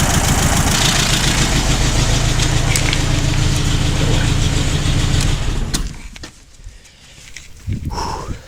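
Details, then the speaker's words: Overhauled ancient air-cooled two-cylinder car engine fitted with auxiliary water-cooling mod, idling: deep even steady idle, low beat around 200 per minute, no knocks or misses; healthy. "I can listen to this engine idling forever."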